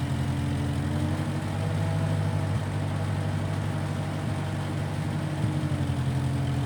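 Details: 1955 Massey Ferguson MF65 tractor, in family 30+ years, restarted after sitting a couple years; carb cleaned, Marvel Schebler carb may need slight dialing in. Low, smooth, even idle, no knocks or misses; normal running.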